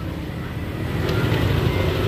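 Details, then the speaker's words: Yamaha Aerox 155 scooter after repair from late oil change: low even idle, smooth steady hum, no top-end tapping; normal idle after repair. "eh suaranya halus suaranya alus nih"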